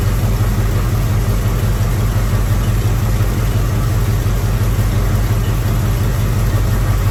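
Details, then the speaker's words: Rebuilt Chevy small block 350 V8 after distributor turned 180 degrees and timing adjusted, electric choke not yet connected: deep, steady idle with an even lope about three pulses a second, no knocks or ticks; normal idle. "Finally got this motor dialed in pretty good."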